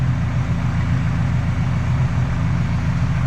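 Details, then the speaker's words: 1972 Ford Pinto Runabout with restored Motorcraft carburetor, mixture screw set 2.5 turns out: smooth, even low rumble with steady loudness and no misses or knocks; idling cleanly, just about perfect. "Pulled it 2.5 out and shouldn't be screaming because it's not loud. I mean, that's idled just about perfect."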